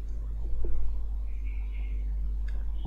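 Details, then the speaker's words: TaffStudio G-Mark LGT 240 budget condenser microphone with its grille removed: the bare capsule picks up a constant deep electrostatic hum, worse near electronics such as a camera. "Nah, ketika gril mikrofon kondensor dilepas, akan terdengar suara bising, semacam elektrostatik atau dengungan, seperti suara"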